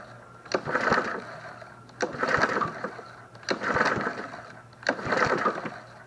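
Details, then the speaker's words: Snapper SP-110 22-inch RWD mower that won't start, compression test: four slow, weak pull-start whooshes with no firing, reading barely 50, possibly fighting a compression release; low compression. "and um we're barely making 50. I'll try it again but that doesn't sound good"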